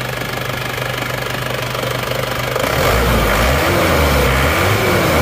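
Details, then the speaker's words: Isuzu Panther diesel after the fuel filter was replaced: steady idle clatter then clean, even revving with no stumbling or stalling, where before it shook and died; normal revving. "Kita gas-gas. Kalau tadi digas gini langsung goyang-goyang terus mati. Sekarang sudah nggak lagi setelah kita ganti filter solar ini."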